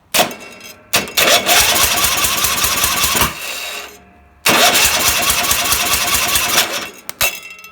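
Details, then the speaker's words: Racing mower cranked electrically by shorting the starter directly, after dying with a white puff from the carb. Harsh whirring cranking with no firing, and no exhaust valve movement; the cam lobe is wiped despite having oil. Finding: wiped exhaust cam lobe. "Yeah, we have no exhaust valve movement. So, I don't know how I managed to wipe the cam lobe off because it still has oil in it."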